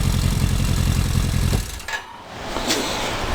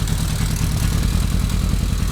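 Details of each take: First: Rebuilt 1995 Kawasaki KZ1000P with CV carbs, at idle with no choke: revs hang for over a second after a throttle blip before dropping to idle, with some backfiring. Cause unknown. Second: 1995 Kawasaki KZ1000P ex-police motorcycle, rebuilt, CV carbs, warm with no choke, at idle; steady even burble with no misses, though revs hang after throttle blips.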